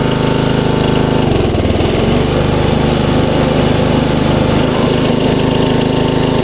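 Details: 1994 Troy-Bilt 33-inch walk-behind mower, Model 34044, Briggs & Stratton engine, curbside find: steady, even single-cylinder drone at full throttle with no missing or surging. Runs healthy.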